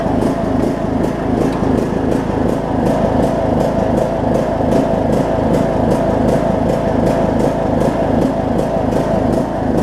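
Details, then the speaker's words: John Deere LA105 riding mower, unrun about three years, after tank cleanout and carb cleaning, cold about 40°F, carb float suspected stuck and dumping gas: engine pulsing unevenly about three times a second with hunting beat; surging, running rough. "it's pulse I like crazy for step two [Music] it's like one of those pitiful items I've ever heard second gasps like crazy though"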